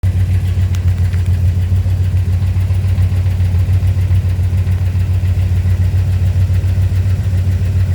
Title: Chrysler 5th Ave lifter tick and manifold gasket leak. Fixing ASAP